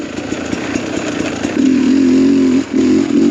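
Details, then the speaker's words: 2021 Sherco 300SE two-stroke with Lectron Billetron carb on trail, lacks pull uphill in third: buzzy note climbs then sags and stumbles briefly when throttle comes back on before picking up; carburetor bog on throttle reapplication. "once I get off the throttle and back on, you can hear it bog a bit."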